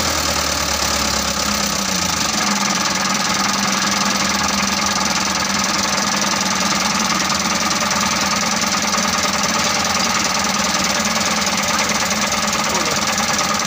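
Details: Mitsubishi Canter 125 diesel truck that was hard to start, running after the injection pump was bled and its timing set: steady, even clatter with no dying or big stumbles. Slightly rough, and the result is not fully satisfying, but it runs.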